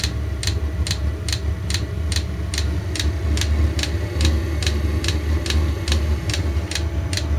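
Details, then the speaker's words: eBay diesel heater set to 35°C, running wide open, about two minutes into startup after the click pump starts: even ticking around 2.5 per second over a low roar likened to a jet firing up. Normal startup. "It's starting to fire up. I can hear it running. So it sounds like a jet airplane or something firing up. That noise."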